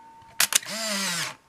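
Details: Canon Sure Shot 35mm film camera, checked before sale: a couple of shutter clicks, then a smooth, even motor whirr for about half a second as the film winds on; advance sounds healthy.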